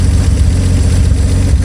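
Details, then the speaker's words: Old car engine, fuel pump turned off, running out float bowl gas: deep even rumble, steady beat, generator turning, no knocks or misses; normal idle. "Look at that generator going. Everything going. Boy, that thing sounds good."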